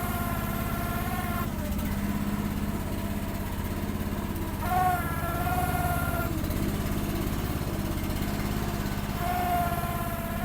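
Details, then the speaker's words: Gas-engine mini machine on a cold, snowy day, choke just turned off and still warming up: steady idle with a high hydraulic-pump whine that swells in spots. It is loud when the hydraulics are unused and quiets under use; the owner suspects it needs to warm up. "I don't know why that pump is so loud when it's not working. But when it's being used, it quiets down."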